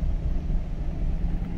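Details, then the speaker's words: 2015 GMC Silverado, towed in for stalling and running terrible, no flashing check engine light, MAP sensor code: deep lumpy idle that surges and stumbles with heavy shaking; misfire. "you could see how bad this thing's shaking right wow this thing he's running terrible"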